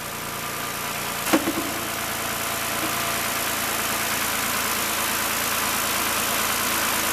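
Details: Toyota all-wheel-drive first fire-up after reassembly, coolant low; steady even idle with smooth whir, one brief early click, no timing chain rattle, no alternator light, charging 14.3 V: normal idle.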